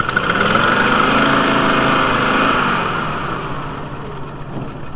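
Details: VW T4 2.5L with intermittent rough running when cold: uneven, lumpy idle loping about four times a second and sagging; broken cylinder one intake valve spring holding the valve open caused the rough running.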